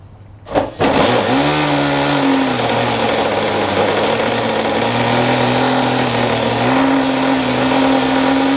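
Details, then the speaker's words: OS Max SF 40 ABF glow engine on a trainer plane, early startup, about 2° cold and wet, untuned; catches after a pop then drones high, hunting unevenly; owner believes it runs quite rich. Rough idle. "I know it's running fairly fairly rough right now believe it's quite Rich it's also very cold today as you can see it's like 2° out very very wet so obviously the plane's not going to run very well"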